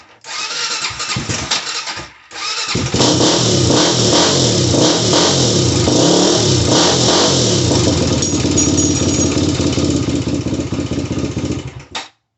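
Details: Honda 400EX ATV that died while riding and wouldn't start, after replacing spark plug: cranks briefly, then fires and revs cleanly, settling into a steady, even run with no misses; running healthy.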